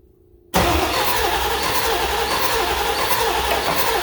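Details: Ford 7.3 Powerstroke diesel with valve covers off for a test run, cranked on ether after the starter was tightened; starter spins the engine evenly for four seconds with no combustion; cranks without firing.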